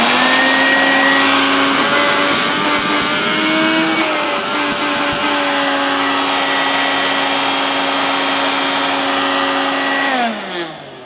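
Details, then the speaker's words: 1988 Hoover S1262 Dustvac mains-powered handheld vacuum: steady high motor whine with a buzzy, rattly edge, spinning down at switch-off; noisier and more vibratory than remembered, and a bit smelly. "yeah sadly that's a bit noisier than i remember mine and a little bit a little bit more vibratory if that's the correct word"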